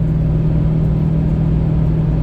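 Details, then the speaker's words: LBZ diesel towing a 15,000 lb fifth wheel up a long highway climb, coolant at 237°F, slowed to about 45 mph: a steady deep drone and even low hum as the fan kicks in; viscous fan clutch engaged. "fans not kicking on I don't hear it oh there it goes now the Fan's on fan is in full effect"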